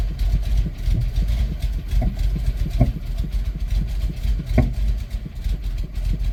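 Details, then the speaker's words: 1993 Plymouth Grand Voyager SE, parked 18 years since 2006, after fuel pump replacement and about four gallons of fresh gas: lumpy uneven running with stumbles as a cylinder picks up; misfire, cause not confirmed. "come on oh there was a cylinder it picked up come on"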